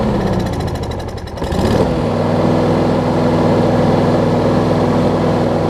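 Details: Husqvarna push mower with no-start/no-spark fixed by bending cable bracket so the control cable fully pulls the ground switch off: after a brief pull it catches near two seconds and runs steadily, no misses.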